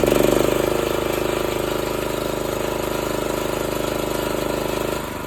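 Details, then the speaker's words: Old 8 hp Honda generator idling with no load: a small single running a fast, even beat with a smooth, steady drone that drops slightly near the end; healthy. "but I wanted to let you hear the difference between the engine in load and no load so right now there's no load it's just idling"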